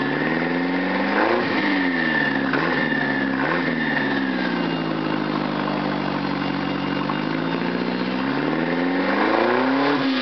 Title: 1995 Ford Escort Lx Exhaust Leak